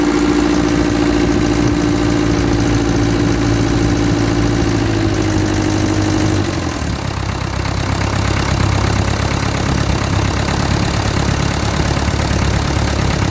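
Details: Land Rover Series 3 diesel, first start after a faulty starter solenoid was fixed and an injector pipe was loosened: it catches and idles with a steady, even beat, settling lower with no knocks. Spill pipes and washers leak; glow plugs not working.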